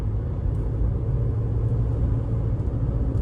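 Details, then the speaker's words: 2019 Toyota RAV4 on newly installed Michelin Defender2 225/65R17 all-season tires, replacing Kumho tires that hummed after 30,000 miles, fresh alignment; low steady highway-speed rumble with no hum, whine or thumping, tires quiet and smooth. "And the tires are very quiet now. Smooth. Handles very well."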